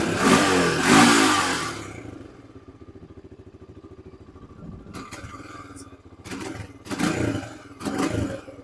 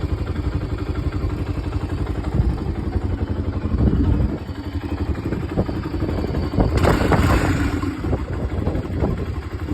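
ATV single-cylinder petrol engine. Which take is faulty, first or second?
first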